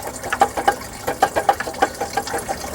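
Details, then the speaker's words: 2010 Dodge Cummins 6.7 with belt off: loose water pump shaft rocked by hand gives irregular light metallic clacking, worn water pump bearing play, the same rattle heard in the truck; the pump had failed multiple times. "I can grab the pump, and you can see how loose that is and hear it rattling. And that's the sound that we're hearing in the truck."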